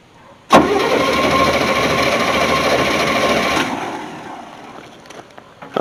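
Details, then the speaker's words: 1981 Chevy C30 dually after sitting 10 years, during spark check: steady starter grind for about three seconds that never catches, then winds down; no spark because the ignition was not switched on. "have any spark but first thing you want to do when you're checking for spark is make sure the ignition is on which i never check so it's probably not"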